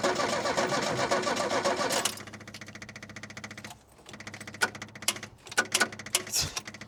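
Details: 1967 Opel Rekord 2DHT Coupe that sat unused for years, on a new battery and fed from a fuel hose, plugs possibly soaking. It cranks, fires raggedly, then falters and won't run, fuel supply suspected: repeated start attempts.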